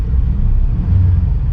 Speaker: runs good but I have no interest in buying it but a lot of you wanted to hear it run so here you go